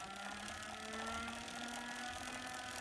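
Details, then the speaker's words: Wahoo Kickr v2 trainer belt spun by hand with belt tension added: steady mid-pitched whine with a faint high singing tone, creeping up slightly in pitch; belt whine that rises with belt tension. "so I was putting in a bit of belt tension into the system and clearly the belt tension is very much directly affects the belt noise"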